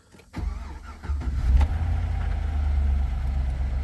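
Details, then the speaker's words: Truck 5.3L LS V8, in original truck, due an oil change: short crank, fires at once and settles into steady smooth low idle rumble, no misses or knocks; decent oil pressure, healthy start. "look at that she starts right up good too needs an oil change I'll just go ahead and seems to idle all right got decent oil pressure"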